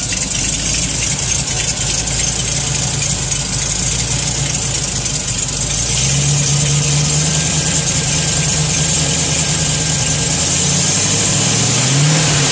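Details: TVR Chimaera 400 Rover V8 idling: quick, fairly even light tick over a hissy background; engine ticking at idle, source not yet known.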